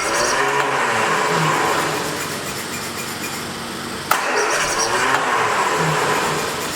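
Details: 1979 Triumph Spitfire, sat about 20 years, even cranking about four turns a second with no firing; fuel delivery issue, fuel pump or stuck carburetor needle and seat suspected, not confirmed.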